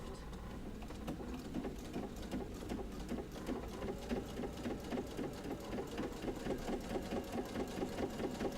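A quick, even needle clatter at a steady pace with no knocks or binding: this sewing machine is stitching normally.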